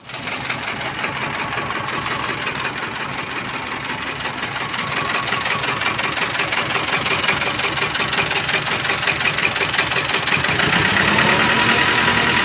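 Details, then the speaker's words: Mazda BT-50 diesel with rough noise, cabin-wide vibration and no power: a hard, regular rapping knock over a rough idle, growing louder; a broken camshaft. "Inilah penyebab suara mesin yang kasar dan getaran yang terasa di seluruh kabin. Selain itu, alat ini juga tidak memiliki daya."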